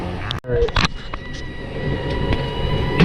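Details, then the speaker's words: Furnace believed about nine years old, cold day (27°F), blower running: thin steady whistle of several fixed high pitches over blower rush as air is sucked in at a leaky cabinet seam near heat exchanger pan; air leak to be sealed. "but we do have some air leakage in somewhere so all right so let's seal that up"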